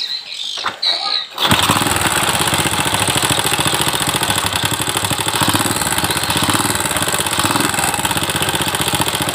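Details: Old Honda Supra X (Supra 100) motorcycle, noisy and thirsty, starts and idles with a busy scraping rattle from the left side; diagnosed as a slack cam chain (rantai kamprat/keteng), not valve noise; chain to be replaced.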